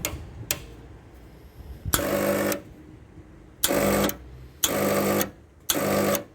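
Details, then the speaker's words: Rancilio Silvia espresso machine after repair for not heating, heating element disconnected: short half-second pump buzzing bursts started and stopped with steady hum as it sucks water; normal pump priming. "sometimes is that suck in water yeah that is sucking water sometimes starting and stopping is a good way of priming the pump"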